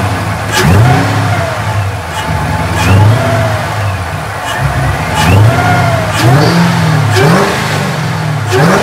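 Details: Mustang: clean throttle blips back to idle, no knock or misfire; sounds normal but smoke kept coming out.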